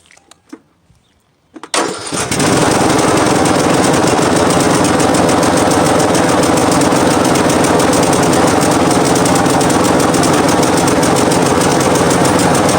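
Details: Craftsman T110 lawn tractor after sitting all winter with flat battery, jump-started: a few clicks, short crank, then the engine catches and settles into a steady, even run; normal running.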